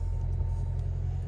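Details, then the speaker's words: Hyundai i10 small petrol engine idling after a noise fix (water pump/alternator suspected): low, steady, even rumble with no knocking or rattle; noise completely gone, normal idle. "Sound check कर लीजिए sound बिल्कुल भी नहीं आ रहा"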